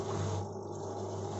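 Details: Washing machine that had hummed loudly during spin, running after the heating element was refitted and sealed: a short, steady low hum with no knocking, banging or rattling; normal running.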